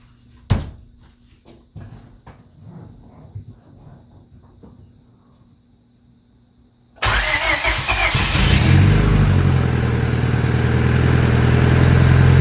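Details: Turbo Honda Civic with an eBay turbo, first start after the build, fuel pressure at 60 psi: the starter cranks, the engine catches at around seven seconds and settles into an even, steady idle with no knocks; healthy start.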